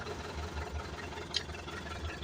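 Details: Mitsubishi 4M50 diesel with low power: low idle with an uneven, lumpy beat and occasional stumbles; misfire at idle, cause not yet found.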